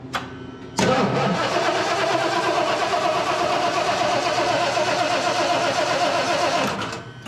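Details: 1976 Ford F-350 with 460 V8: steady cranking for about six seconds, never catches, strong raw gasoline smell; the customer-installed oversized carburetor flooded it, with an air leak at the carburetor spacer.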